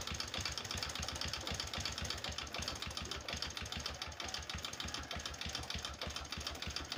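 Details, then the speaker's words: Honda Supra 125 motorcycle smoking badly with exhaust full of oil, idling rough: uneven, lumpy idle with irregular low thuds about three per second over a rattly top end. "Kita akan coba hidupkan suara mesinnya, agak sedikit kasar teman-teman."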